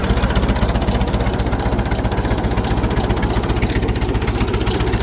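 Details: Massey Ferguson 65 tractor, after oil pan repair, runs with a steady, even low chug of about four beats a second and no knocks or rattles: normal, healthy running.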